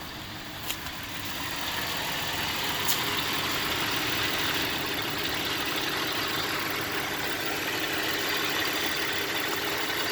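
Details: 2004 Cadillac SRX idling: steady hissy idle with an uneven, wavering beat underneath; rough idle, cause not clear.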